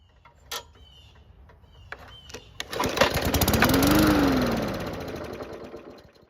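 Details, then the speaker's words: Free lawn mower that won't start; fires on fuel poured into the carb after a few pulls, revs about three seconds, then winds down and dies; ignition good, engine not worn; fuel starvation from a fuel system fault. "However, it is in good enough shape for a test start. And as you might have guessed, this engine refuses to start. Now it could be something fuel related causing this problem, and to find out, we'll just add fuel to the carb instead."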